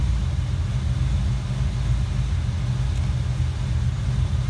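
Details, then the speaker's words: Ford Fox body Mustang 5.0 at cold idle after ECU repair with capacitors replaced: deep, steady rumble easing down smoothly and holding without stalling, where before it would have died; normal idle. "good deal that sounds a lot healthier i think that's what fixed sounds like"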